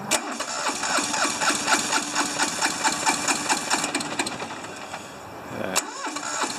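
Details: Hinomoto diesel tractor, once stuck, cold at about 40s °F: uneven chugging at about two beats a second, one cylinder banging harder than the other, irregular and lumpy. Owner suspects injectors, low compression or weak glow plugs.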